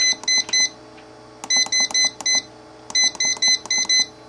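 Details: Dumpster-found Wine Enthusiast wine cooler, revived by replacing a 5A fuse, cold with both fans running: short high-pitched beeps in three bursts of four to five as the temperature is set higher to shut the fans off; normal control panel beeps.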